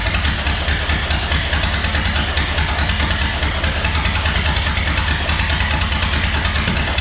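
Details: 1929 Ford Model A chassis four-cylinder, started after a distributor cap and rotor were fitted, fires and settles into a steady, slightly lumpy idle with an even low thrum and no knocks; water pump not spinning because the belt is worn.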